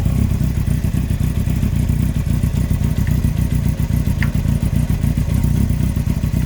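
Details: 2003 Yamaha R1 (5PW), 41k miles, running: a hard, quick clatter-knock repeating about four times a second; big end bearing failure on cylinder 4, with cam chain, valves and top end fine; owner suspects harsh downshifts caused bottom-end stress.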